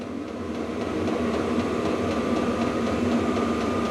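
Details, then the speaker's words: VEVOR diesel heater (about 5-litre diesel tank) in a cold workshop, first start, turned up to level 10 of 10: fuel pump tick quickens and fan roar rises with a faint high whine; normal running at full power, temperature ramping up. "Let's try turning it up and see what happens. So there's levels, it looks like there's 10 levels. Okay, you can hear the pump increase and the fan increase."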